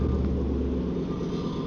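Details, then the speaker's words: Rebuilt wrecked Mustang GT V8, first start after repairs in park: deep, steady low rumble with an even beat and no knocks or misses, with a little rattle noted; healthy idle. "Ah, it sounds good."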